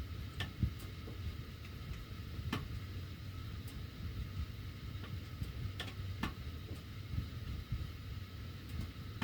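Sharp, irregular ticks roughly every second or two over a quiet low hum while the heat runs; the duct metal is ticking, cause unclear.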